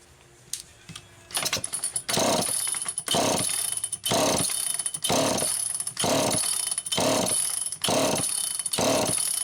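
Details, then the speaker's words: Old Super EZ Automatic chainsaw with a deteriorated filter grommet and stiff fuel hose, pull-started: repeated cranks about once a second, each a brief whirr that never fires, not drawing fuel; fuel starvation. "Now that is not the sign of a carburetor that's going to come to life. Man, I want to hear that thing. No, that's not drawing fuel. Definitely not drawing fuel."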